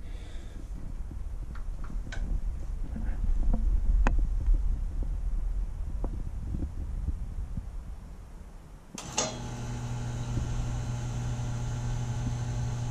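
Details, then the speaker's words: Taco circulator pump in a newly filled heated-driveway/snowmelt hydronic system at 50–55 psi switches on with a steady low hum and faint whir; the hum changes pitch when the pump is pressed, possibly vibration; the source is unclear. "the part i'm not sure about is the hum you hear the humming the i can hear that this pump"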